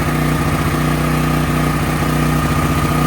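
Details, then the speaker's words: Brand-new DuroMax XP13000EH dual-fuel generator on propane after replacing the spark plug with an NGK: loud, even engine drone with steady firing beat, no popping or misses; running properly, spark plug change was the fix. "start it right up. Woohoo. Final solution was changing the spark plug."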